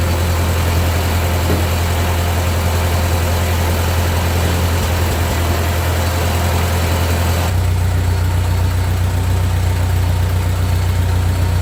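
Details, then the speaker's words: 1945 Ford 2N loader tractor engine idling during loader repairs; it smokes somewhat. Deep, steady low thump at an even beat; a healthy old engine ticking over. "it does run nice. We'll just let her go till she runs out of gas."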